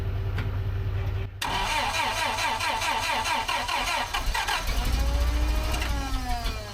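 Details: Dead Terex carry deck crane, bought as a non-runner, being started on ether: rhythmic cranking churn, then a short burst where it catches and picks up before fading back; fires briefly but won't keep running.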